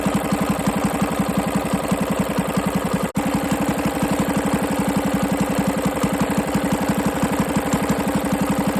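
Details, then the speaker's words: 98cc small engine on its first run after a rebuild with better used parts and a honed cylinder, idling in cold weather: a hard, regular bottom-end knock about three times a second. The owner also thinks the carburetor needs cleaning. "It's got some bottom end noise. I'm hear it."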